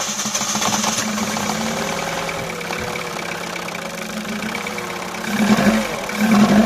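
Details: Opel/Vauxhall that had a crank-no-start problem, now running: fairly even idle with a steady low hum, picking up briefly when revved; normal idle.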